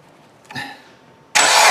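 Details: 2009 Dodge Avenger 2.4 with P2441, engine started after the stuck-closed AIR switch valve was popped open: brief crank, then a loud steady rushing hiss; secondary air pump blowing freely, tone changed; valve to be replaced.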